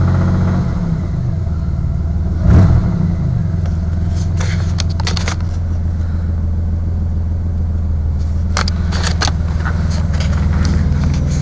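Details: Car engine at 190,802 miles idling: heavy low rumble with scattered sharp knocks that get louder as it runs; suspected rod knock, not confirmed.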